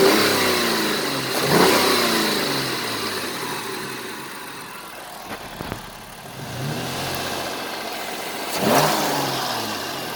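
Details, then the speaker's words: 2002 Mercury Cougar 2.5L V6, 184,000 miles, parked: even idle and two smooth throttle blips with no knocking or rattling; the strange under-hood noise does not occur stationary, only when driving. "alright I'm not sure if you can hear it right now but idling it's not making that sound sounds like it's running fairly decent for an old car"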